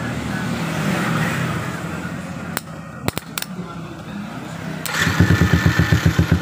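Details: Yamaha Jupiter MX whose starter only clicked despite a new battery, started during a jumper-cable starter test: a few sharp clicks, then the single-cylinder fires and settles into a steady putter of about four beats a second.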